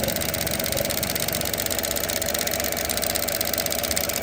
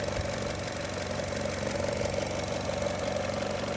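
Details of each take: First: 2018 Chevrolet Trax idling with a fast, fairly even ticking about four clicks a second from a failing EVAP purge valve, heard under the hood; codes P0443 EVAP and a mass airflow code; valve to be replaced. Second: 2018 Chevrolet Trax with EVAP (P0443) and mass airflow codes, idling after the MAF sensor was cleaned: steady, even idle with a constant low hum and no misses or surges; MAF readings now near spec, just slightly low.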